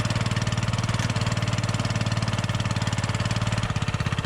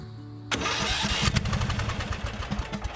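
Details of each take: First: Riding mower after clearing a flooded engine, owner thinks the ignition switch was the culprit: single-cylinder thumps steadily, then settles to a smoother, higher even beat while left running to charge the battery; normal running. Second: Small engine on a riding mower with a suspected ignition fault that gave inconsistent spark: starter churns steadily with only weak scattered pops that never catch; the engine is badly flooded with fuel.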